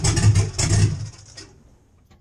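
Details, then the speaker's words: LS 4.8 V8 truck with BTR NSR cam, FiTech intake manifold, 799 heads, no exhaust, stock computer: catches with a few uneven bursts of revs then sags and dies within a second or two without throttle; needs throttle to hold idle. "okay so you heard it die at the end there that should give you a really good example of what I'm talking about without any throttle it just Falls flat in its face"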